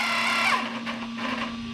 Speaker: that sounds about what I would expect it's kind of like a little bit of a growl not really a growls somewhere between a ground like a squeak I guess but that's the sound of those that those the gears should be making